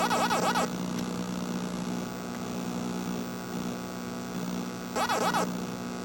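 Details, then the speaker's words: Super Pac-Man arcade PCB: a loud steady low hum drones under bursts of game tune; audio fault suspected in the 74LS257 chip at 3F or the amp, unconfirmed, though coin-up now works. "hmm I don't know if it's the amp or that chip or something's making that sound terrible but at least the coin up is working"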